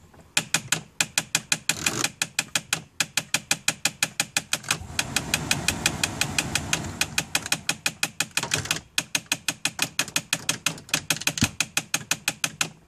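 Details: 2002 Mitsubishi Galant: sharp, crisp clicks about three per second, fairly even, briefly masked by a rush of engine noise midway; repetitive clicking, source unknown.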